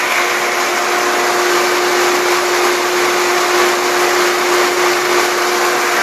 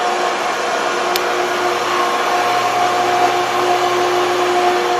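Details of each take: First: Pool pump on a VRS/SVRS system set to unprotected mode, about 15 minutes in after earlier failing to prime: loud, steady hum with an even water rush, no gurgling or surging; the pump is primed and running normally. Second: Pool pump on a VRS/SVRS vacuum-release system, running a long time: steady motor hum with hollow airy rush and no water-moving load; pump not priming, system keeps shutting off on "stabilize vacuum too low".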